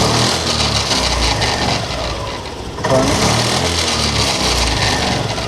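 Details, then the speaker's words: BS6 Honda Activa scooter brought in for service, revved hard then released: rough crackling "karakara" rattle from gearbox as revs drop; suspected worn gearbox bearings or gears catching near kick-start shaft, unconfirmed, clutch to be opened. "Race చేసి వదిలేసిన తర్వాత కరకర కరకర అని sound వచ్చేస్తుంది"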